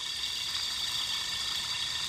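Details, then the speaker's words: 1995 BMW M3 S50US engine serpentine tensioner pulley: steady, dry, high-pitched hiss and fine grinding; bearing still in good shape but completely without lubrication; dry pulley bearing noise. "it's absolutely dry the bearing is still in good shape but there's no lubrication in there"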